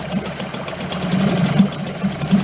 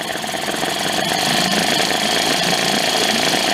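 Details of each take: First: Late-1990s Mercury 5hp two-stroke outboard, bought broken at a yard sale; choke left pulled out flooded it, giving a rough, sputtering, uneven putter that gradually evens out as it clears. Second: Late-1990s Mercury 5 hp two-stroke outboard, from a yard sale, running while the idle air-fuel mixture is adjusted. It gives a busy, even buzz with a crisp high edge and a steady, clean idle without stumbling or surging.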